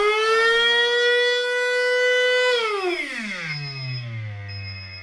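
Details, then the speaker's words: Brushless motor on a flywheel dyno, timing set around 30°: clean high whine holds steady to the 30,000 RPM dyno cutoff, then glides smoothly down as it coasts; healthy motor. "So, that was a full run. Uh, the dyno did shut off at 30,000 RPM."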